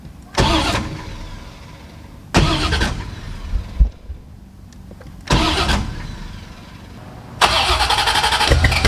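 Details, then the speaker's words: C4 Corvette, first start attempt in over 12 years, with a new Bosch OE fuel pump. Four cranking bursts of about two seconds each; it catches for a split second, then dies. It cranks but won't stay running; owner hopes the fuel rails aren't dirty. "it just won't stay running like it wants to run but it just can't stay running so i'm hoping that there's no dirtiness in the fuel rails"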